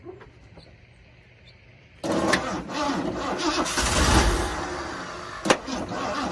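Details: 1979 Ford Bronco, first start in 15 years after WD-40 in the cylinders and gas poured into the carb: a few faint clicks, then it catches suddenly and runs loud and uneven; rough first start after long storage.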